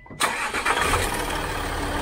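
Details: Land Rover Discovery 4 3.0L TDV6/SDV6 diesel, hot (about 100°C) after a hill test drive; short crank catches at once into an even, steady idle, with idle oil pressure about 0.75 bar, within 0.5–1 bar spec.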